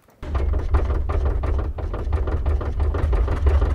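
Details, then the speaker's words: BMW E82 128i with idling engine, steering wheel rocked back and forth: quick run of dull knocks, about four a second, from play between the rack and pinion gear inside the steering rack, which is being replaced. "That is play inside the rack between the pinion gear and the rack itself. In an ideal situation, in a perfectly working rack, there's gonna be no noise when rocking the wheel back and forth."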